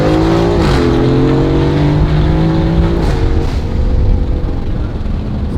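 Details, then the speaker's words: Car running 91 octane, ahead of planned billet intake manifolds, extra injectors and full E85: strong even engine note climbing cleanly through revs with brief dip at shift; sounds good, pulls good, healthy. "Sounds good, pulls good. This uses a different transmission than the AMG GT."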